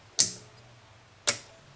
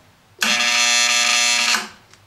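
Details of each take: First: Known-good 120 V AC relay energized on the bench gives crisp, clean snap-action clicks with no vibration or buzz, shown for comparison with the aged relay RY301 that chattered in an EF Johnson 500 transmitter power supply. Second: Main power relay RY301 in the power supply of an EF Johnson 500 ham radio transmitter, fed from a variac, chatters with a harsh steady buzz; aged relay lost inductance and cannot pull in. Fixed by replacing the relay.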